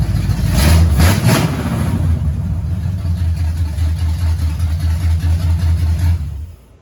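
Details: 1969 Pontiac GTO barn find, 400ci V8 with TH400 automatic needing rebuild: deep, strong V8 burble with a quick blip, then steady even running before shutoff; engine sounds healthy.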